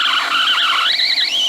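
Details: Apple Macintosh LC running on a makeshift replacement 5 V supply after its original power supply blew a component. High, wavering electronic whine drifting in pitch with no mechanical noise, source unknown: electrical whine.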